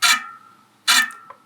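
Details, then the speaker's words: Bicycle wheel spinning in a truing stand with the calipers turned in: short scraping swish once per turn at one spot as the rim hits the caliper, usually meaning one or two spokes are out of tension relative to the rest. "that little scrapey sound that means that the wheel the rim is hitting the caliper at one spot that usually will mean that one or two spokes are not in the correct tension in relationship to the other spokes"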